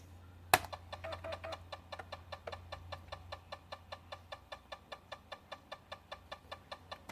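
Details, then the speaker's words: Zenith Z-NoteFlex NTB005 laptop hard drive giving disk I/O and data read errors, fdisk unable to load: sharp even tick about five times a second over a quiet hum; failing hard drive. "oh that sounds like crap wow that really sounds like crap it seems to still be working but damn that sounds bad"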